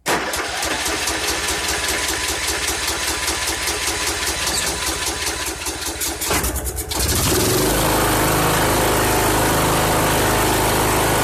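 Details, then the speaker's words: 2014 Troy-Bilt Bronco 13WX78KS011, Kohler 17 HP Command, after a new carburetor replaced the faulty fuel shutoff solenoid, choke held by hand: cranks, catches around seven seconds, settles into even steady idle; normal start. "Awesome. Wow, that engine sounds good. I just have to get that throttle cable adjusted. Crank's good though. New Hipa carburetor working great."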